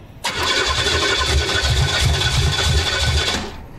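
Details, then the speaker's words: Blown-engine Pontiac, oil on the floor, on nitrous: loud uneven chuffing with irregular spacing, running rough and missing; nitrous seems to fire outside the engine, cause not confirmed. "it's not getting into the engine it's just like firing outside of the engine"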